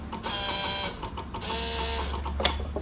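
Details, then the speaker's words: 2004 Yamaha V-Max at ignition key-on: the small V-Boost servo motor gives a short whirring buzz of two brief sweeps, then stops cleanly. Normal V-Boost servo cycling. "that's a little motor on the v boost moving when i turn the ignition on"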